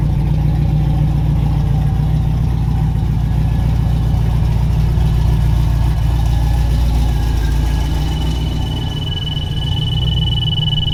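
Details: Black C10 LS swap at first fire-up after fresh fuel and new injectors, still needing tuning: a steady idle with a constant low drone that never changes; the cam-type drone's source is unclear and remains to be checked.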